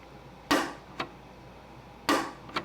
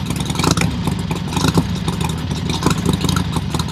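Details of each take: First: Harley XLCH Ironhead Sportster clutch released by hand, cut-away primary cover: sharp clunk then lighter click, twice in three seconds, as the release ramp ball pops back into its detent instead of riding up the ramp; clutch release ramp hitch. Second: Harley-Davidson Sportster XLCH show bike after final assembly, oil pump primed and clutch fixed: V-twin fires and runs with strong, even lumpy beat and crisp revs, no knocking, then cuts off cleanly; sounds healthy.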